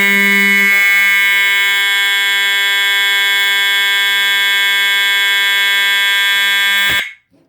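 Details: EST 7577AHS older Integrity horn strobe, continuous only; loud harsh low-pitched monotonous buzz about seven seconds, cut off cleanly; horn sounding normally.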